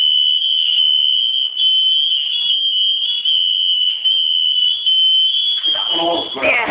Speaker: that's working I think that one was too